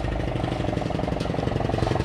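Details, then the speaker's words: Arriving vehicle (Supra) with a "petok-petok" sound: low, lumpy idle with a fast, uneven put-put pulsing under the engine note, consistent with a popping exhaust. Cause suspected, not confirmed. "Oh itu sudah sampai suaranya petok-petok ya"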